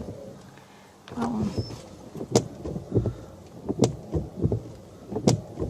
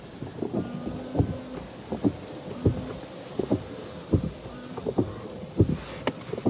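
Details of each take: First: 2009 Renault Grand Scenic III: noisy windscreen wipers judder and squeak despite nearly new blades, a juddering thump at each sweep end over the wiper motor hum. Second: 2009 Renault Grand Scenic III windscreen wipers after the nearly new matched-pair blades were swapped sides; they sweep quietly with a soft, even thump at each reversal, no squeak or judder, though one blade nearly touches the windscreen edge.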